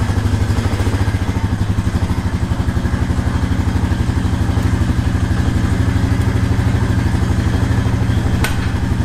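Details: 2018 Honda Rancher 420 ATV shifted into gear and reverse: a steady, even single-cylinder putter at idle with no stumble or miss. Normal idle during a brake switch check.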